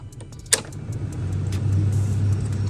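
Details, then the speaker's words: Ford Mustang II AC climate control unit after repair, with a stuck paper clip removed: switch click, then a low steady hum that swells and settles as the blower spins up smoothly; blower fan working normally. "all of them working perfectly man they all working great listen to their fan"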